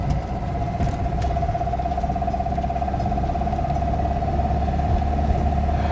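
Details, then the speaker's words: 1989 Talbot Express 2L petrol (Autosleeper Talisman) running: faint hollow metallic knock, loudest at slight throttle/gentle acceleration under load, less audible at full revs, power seems fine; engine knocking, cause unknown. "It's more under load where you can hear it. Full revs, you can't hear it so much, it's just gentle acceleration like that where it's the loudest."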